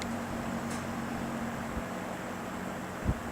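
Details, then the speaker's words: GE W 25 box fan after repair of worn single bearing that let rotor hit stator, enough clearance removed: steady low even hum, no rubbing or scraping, one small tick near end; running great. "it's running them running great"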